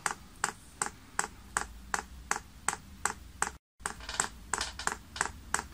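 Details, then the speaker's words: Chinese diesel heater on workshop bench, LCD controller, manual priming mode: crisp, even ticks about every 0.37 s (about 160 a minute) as the dosing pump primes the paraffin fuel line normally. "you then press the up arrow and you can hear that pump's clicking and is in fact now priming"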